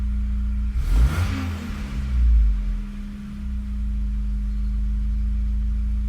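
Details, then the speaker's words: Megasquirt-tuned engine during idle tuning, after idle setting increased: quick throttle blip, revs fall back and hold steady idle without dropping below about 700-750 rpm; stable idle. "So that's better. You know, you don't want it to drop below really 750 or definitely 700. You want it to be up higher when you blip the throttle."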